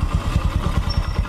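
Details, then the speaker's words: Honda Supra X 125 motorcycle after engine repair, idling smooth and soft; even, steady low single-cylinder thump, healthy idle. Electric starter and dynamo still have problems, but the engine runs smoothly before the performance test ride. "hai loh mesinnya sudah halus lembut mesinnya"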